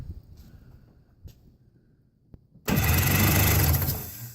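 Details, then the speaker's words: Yamaha WaveRunner with carburetor and both spark plugs removed, lubricant sprayed into intake and cylinders, freshly charged battery: smooth, even cranking spin with no restriction or catching; engine turns over freely, not seized. "sounds like it's turning it over that's doing good I don't hear any restriction so we may just have something"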